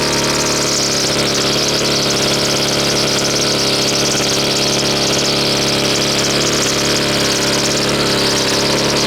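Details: Husqvarna two-stroke string trimmer restarted before repair: a high, buzzy drone that won't settle into a clean idle. High and low carb settings and idle are clearly off, and the air filter is clogged. Lean carburetor mixture.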